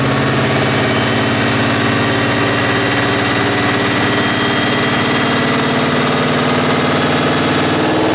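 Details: 2014 Shelby GT500 Trinity V8 with 12:1 compression, on the dyno at 17° timing, pulling to 7,000 rpm under full load: loud rough, uneven hesitation and misfire; cause later found to be an oil-fouled spark plug.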